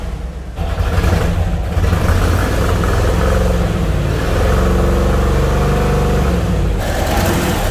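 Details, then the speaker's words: Trans Am found after 25 years, first start; low, lumpy idle around 500 rpm with uneven stumbling beat staying ragged as throttle is blipped; check engine light flashing, good oil pressure, no oil smoke; running rough, probably misfiring. "we got check engine light flashing of course this thing is running so bad but if that oil pressure gauge works we have really good oil pressure and it's idling at about 500 rpm right now"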